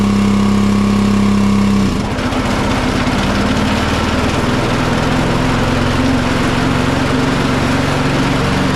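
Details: John Deere 425 riding mower, Kawasaki twin, with good fuel verified: it runs rough and uneven with a stumbling beat and no power, bogging under load because one cylinder is dead from a failed ignition coil.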